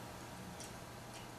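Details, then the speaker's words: Computer hard drive failing after a power cut, connected via USB2-to-SATA cable during data recovery: two faint sharp clicks about half a second apart over a quiet hum; click of death, transfer stopped. "no it's making the clique of death hopefully you guys can hear that for a minute"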